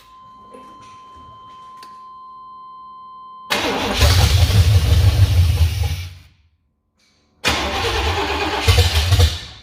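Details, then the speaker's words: 1988 Silverado with built 350 has a start-no-idle problem: it catches, runs rough and uneven, stalls, then restarts stumbling and won't hold idle. Fuel was spraying out; it sounds worse after the latest change. "This sounds like it's running worse now. Still spraying fuel? Are we spraying fuel or what?"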